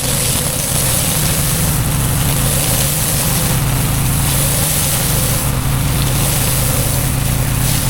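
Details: Harbor Freight Predator 13 HP 420cc OHV gas engine driving a budget pressure washer pump: smooth, steady drone with no knocks, misses or surging; running normally.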